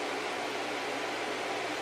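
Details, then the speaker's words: Packard Bell iMedia S3720 desktop computer whose small fan, about 80 mm or smaller, is suspected of a disconnected or fried part inside. Roars at full blast with a steady, loud rush of air: abnormally loud fan. "something's not happy inside. It's very loud, and I'm surprised at how much air that little fan is shifting."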